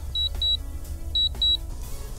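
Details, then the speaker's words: DJI drone flown through the AirMap app: the controller gives two pairs of short, high beeps about a second apart as a low battery warning, since the battery wasn't full at takeoff, prompting a landing. "can hear it's beeping at me to have a little battery this battery wasn't full when I took off I guess I'll land it now"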